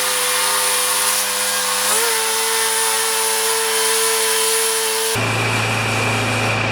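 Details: Craftsman mower with Kohler engine of about 6 hp, after cleaning the carburetor: steady buzzing drone that picks up in pitch around two seconds in, then runs evenly; it runs properly, but a filter is still needed.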